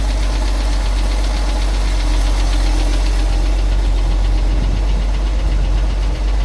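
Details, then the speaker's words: 1974 Ford F-350 being prepped for sale: loud low rumble with an irregular knock at roughly four per second following engine speed; owner attributes it to the engine's old, unchanged oil and mentions a rebuild. "You hear that one back there making a little noise. It's just the motor was full of not oil changed oil."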